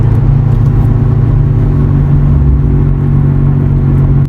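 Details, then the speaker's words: Terios driving just past 40 km/h: a continuous low droning hum comes from the left front and grows much louder; the mechanic suspects the front wheel bearing. "अभी ये जैसे ही हमने अभी 40 की लिमिट को क्रॉस किया तो आवाज जो है ना वो काफी ज्यादा आना शुरू हो गई है और ये मुसलसल आ रही है लेफ्ट साइड से आ रही है मुझे लग रहा है इसका जो फ्रंट बेरिंग है उसके अंदर भी आवाज है"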